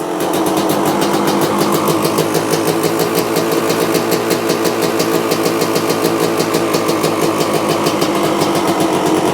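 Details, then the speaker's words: 1995 Honda CR250 two-stroke, first start after carb cleaning, choke on, spark confirmed: rapid crisp firing with a raspy spitting edge at steady speed; motor reasonably quiet apart from an exhaust leak and noise from the front. "Hey, first thoughts. Well, it actually doesn't sound too bad. That sounds good. Apart from the exhaust leak and everything coming from the front, the motor sounds reasonably quiet."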